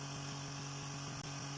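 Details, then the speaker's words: Tiny motor driving a rotor, held down by blue tack and vibrating only slightly: a quiet, steady hum with a faint light flutter and no wobble or rattle; the rotor runs well balanced and quiet. "That's just a little update on the rotor, and as you can hear, it sounds really sweet. It's running pretty quiet."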